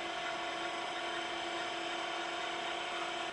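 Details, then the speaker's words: Western Digital WD362 / Tandon TM362 80s stepper-motor hard drive from a Tandy 1000 TL, before the fix: steady high whine with faint chatter as heads step back and forth; normal startup seek test, though it sometimes clunked. "back and forth that it's doing now is the normal startup test now of course it's not doing air right now but during that test it would make strange noise and kind of clunky sound sometimes while I was trying to position the heads"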